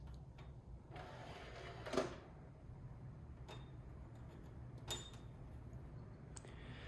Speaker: And even after trying to fix it, the Blu-ray drive is still quite loud. But it is a little quieter, strangely enough. All right. You can hear that buzzing, right? That's from the Blu-ray drive.